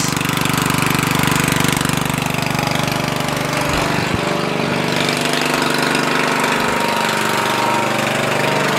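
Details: Murray 14.5hp 42" widebody LT lawn tractor after ignition rewiring and solenoid ground fix, lights on, charging 13.5–13.7 volts: single-cylinder chugging at steady, even beat, no misses or knocks; normal running.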